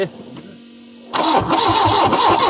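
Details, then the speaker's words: Peugeot 405 Mi16 first start attempt after 5 years: starter cranks with steady even compression pulses but engine never fires; all four injectors showed no flow, suspected clogged injectors or faulty ECU. "-Also sind alle 4 Einspritzdüsen verstopft. -Entweder sind sie verstopft oder das Steuergerät ist defekt."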